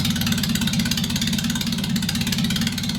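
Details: MGB under restoration, started up with no exhaust headers fitted, idling: loud, raw, crackling bark on every firing pulse from the open ports, louder than the speaker's voice; everything works.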